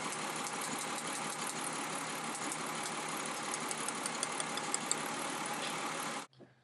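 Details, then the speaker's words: Engine with P0304 cylinder 4 misfire, coil removed and held to ground while running: sharp rapid snapping spark ticks, about three per second; the coil fires strongly. "but when I go to this coil right away you can hear it if I go to ground somewhere you can see it sparking"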